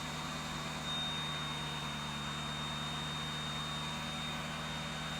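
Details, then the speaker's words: Lexus SC430 with a new ABS module fitted and the battery just reconnected: a steady, piercing high-pitched screech over a low engine hum, unchanging in pitch. Not heard before; a VSC light came on afterward. "Did not hear that noise before. Well, it's making a screeching sound."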